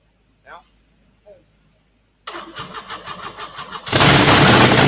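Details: 1997 Monte Carlo 3.4L V6, rebuilt and partly overhauled in an auto tech class, with stripped bolts and cracked gaskets: catches and settles into a lumpy, uneven idle before revving, a slight misfire.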